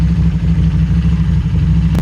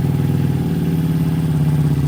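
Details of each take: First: Harley-Davidson Street 500 chassis (17k miles) with fresh 750 engine (60 miles), warm-up idle at about 96 degrees: idle gets disturbed, bouncing between 13 and 16, then smooths out before stalling; unstable warm idle from poor fuel tune, throttle plates slightly open. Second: Harley-Davidson Street 500 chassis with 17k miles, fitted with a new Street 750 engine of only 60 miles, flashed with a new dealer FP3 tune: low, even V-twin thump at a steady idle, settling slightly with no clatter; normal idle.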